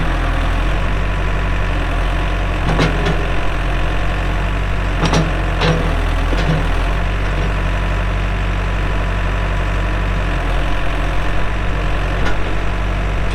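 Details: 2007 Case 580M Series 2 backhoe, 4WD, Extendahoe, pre-emissions diesel, 3,812 hours: deep, steady diesel rumble with even beat, no knocks or misses; starts and runs good, hydraulics strong, normal smooth running.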